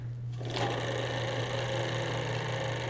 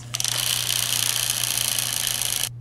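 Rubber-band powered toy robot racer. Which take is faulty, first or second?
second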